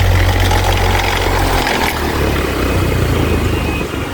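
Loud, heavy roar with a rough, rapid pulsing flutter, about four beats a second; this fan runs far noisier than it should.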